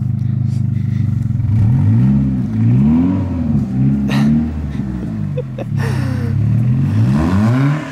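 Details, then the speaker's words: 1995 Acura Integra: engine blipped several times, pitch climbing and falling, over a loud raspy drone far louder than stock; loud exhaust. "okay let's see oh yeah it is kind of loud not gonna lie"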